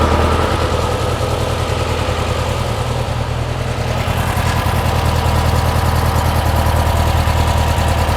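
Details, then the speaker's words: Porsche 356 Speedster replica on VW air-cooled flat-four, running after old remote oil filter hose was replaced to cure oil over-pressurization (earlier 300 psi); oil cooler warming, pressure down to 40–45; steady even idle, no knocks or ticks: normal idle. "cooler is getting warm so it is circulating obviously that's what you want sounds good yeah we're down to 40 45"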